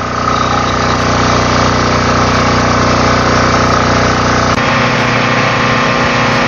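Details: Marpro diesel welding generator started for a test before shipping, a loud even diesel drone at steady speed with a slight tone change partway through, no knocks or misfires; running healthy.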